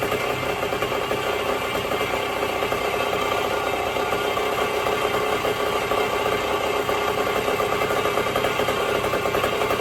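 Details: 1974 Indian SE74, Minarelli P4-70 two-stroke, sat about 30 years; after carb rebuild, fabricated magneto woodruff key, points reset, oil change, idle screw turned out: steady even idle, buzzy note, no misses; idles on its own.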